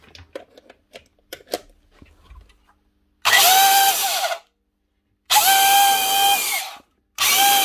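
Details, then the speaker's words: Old Hitachi quarter-inch router, 240 V, test-run before repair: spins up in short bursts with a high, wavering whine and rough edge, no sparking; bad motor bearing or maybe two. "right she works and she's not sparking it's just a bad bearing or maybe two"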